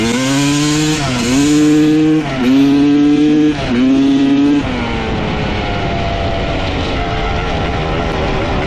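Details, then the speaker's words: 1995 Honda CR250 two-stroke dirt bike, previously bogging, run with the original CDI and stator swapped back in: sharp blips rise and fall cleanly, then it settles to an even idle. Normal running with no bog, so the CDI and stator are ruled out; the gas line or flywheel is still suspected. "well this is getting very bizarre so now both the CDI and the stator swapped out with the old one still runs good no bugging what the heck"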